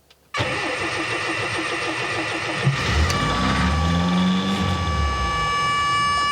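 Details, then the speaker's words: 1979 MGB on a temporary gravity-fed fuel setup: engine catches and holds a fast, busy idle that never drops back; idle speed far too high, cause not yet found. "It works, but I cannot for the life of me figure out why the idle is so insane."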